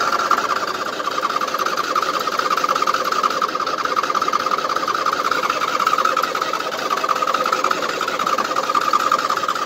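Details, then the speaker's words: 2007 Husqvarna YTH2454 riding mower, just hosed down with wires wet, choke off: long, steady starter whir with fast even chatter and no catch; owner says it always hard-starts when wet; hard starting, long cranking. "that's the long hardest i've cranked on it so yeah it was firing with choke off so i think i'll keep it with the choke off"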